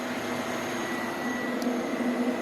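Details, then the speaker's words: Electric cooling fan on a cheap LS-swapped S10 drag truck with stock 5.3 V8, cam and small radiator, first fired up: smooth, even rushing whir at constant speed with faint steady hum, strong airflow through radiator, no rubbing or rattle; normal fan operation. "oh she moving oh damn yeah that thing's moving some meat golly"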